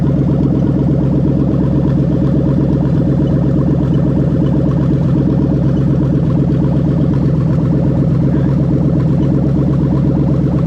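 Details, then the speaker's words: Toyota/Lexus LS430 (2000–03) 3UZ-FE VVT-i V8 with a newly built harness for a manual-gearbox, left-hand-drive setup, test-started: a deep, steady rumble with an even, quick pulse and no misses, knocks or ticks; idling cleanly with no codes. "but yeah so i'm happy with everything everything's working as it should"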